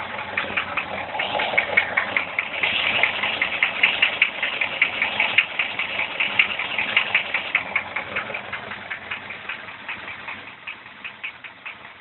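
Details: Engine after tensioning chain and adjusting valves: sharp regular knocking about two and a half times a second over quiet idle; chain stretched though extender fitted; source not found.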